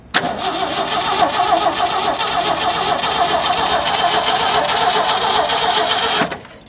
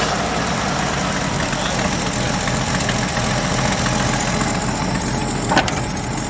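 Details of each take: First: 1977 Ford F350 dually tow truck, long sitting, with its gas tank no longer hooked up; about six seconds of brisk, even cranking that never catches; turns over well but gets no fuel, so starting fluid is next. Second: 1977 Ford F350 dually tow truck, long-sitting estate-sale find: starts right up and settles into a steady, even low-rumble idle with no knocks or stumbles; idle is good as long as the throttle is left untouched.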